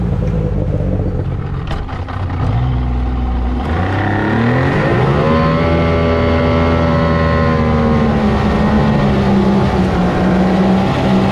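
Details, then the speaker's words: Boat outboard getting on plane: motor note climbs smoothly then settles to steady higher hum as prop grabs and motor is trimmed up, reducing drag; normal rpm rise. "all right so you can see when we get up and start running um you'll hear the the rpm change in the motor and stuff that less resistance"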